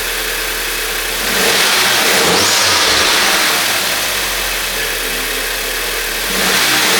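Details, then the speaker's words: VW Jetta after fitting a Wagner Tuning intercooler, CTS hardpipe and 3-bar MAP sensor, checked for turbo rattles: revs rise with a loud airy whoosh that grows with revs, no rattle heard; turbo intake noise normal and healthy. "Definitely makes more noise. Cool."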